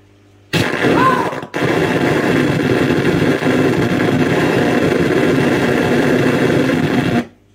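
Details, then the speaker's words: 2006 LG 37-inch plasma TV, model 37LC2D, through its speakers after power cycling: harsh crackling static, brief whistle, short dropout, then steady hissing buzz; audio fault, cause unknown. Audio popping and buzzing. "like thunder and buzzes, glitch. Static and hisses. High frequency, squealing, whining. Making a weird noise is my problem."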